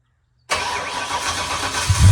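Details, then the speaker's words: Ford Mustang 408 stroker V8 with a reinstalled starter. After a pause it cranks heavily, then catches into a low, lumpy rumble. Starter drag is improved but still present. The owner is considering shim washers of different thicknesses. "well it's uh it's better I gotta listen to the audio and I've played back some but it sounded better to me it it's still doing it"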